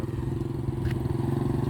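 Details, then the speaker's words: Honda scooter after repair of a cracked, heavily worn clutch drive gear, which caused jerking and stalling when pulling away: even low putter with one brief clack, regular pulses, now running normally. "ครับตอนนี้ก็ตอนนี้ก็ปกติแล้วนะครับ"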